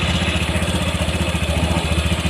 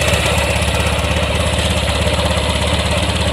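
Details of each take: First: Warm Honda Vario 150 at about 80°C, after a throttle-body service, idling at the set 1600 rpm: a fast, even idle with a steady exhaust pulse and no misses or rattles. It had failed to start and often stalled before; it now runs clean. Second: Honda Vario 150 scooter that had died three days earlier and often stalls, body panels off, cranked on the starter: rough, uneven idle pulsing two or three beats a second as the spark plug cap leaks spark, shorting to the body; cap to be replaced.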